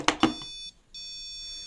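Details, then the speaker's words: Custom ESP32-based TCM on a Mercedes 722.6 (NAG52) gearbox, startup: two sharp beeps, then a steady high tone, a short break and the tone again; error beep when processor power-up checks fail or CAN data can't be obtained. "now if there was something wrong for transmission and say for instance it was the power up and some of the checks on the processor were incorrect or it couldn't obtain can data then this is what it will sound"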